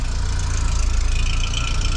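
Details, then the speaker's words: Vauxhall Cavalier Diplomat 2-litre 8-valve on a frosty day (about -3.5°C) after fitting a Peco Big Bore backbox, temporary centre section and poor downpipe: steady, even idle with deep smooth exhaust beat and faint metallic tink, no misfire; exhaust needs to carbon up. "you can hear that 2 litre 8 valve tink to the exhaust there. This thing will need to carbon up a little bit."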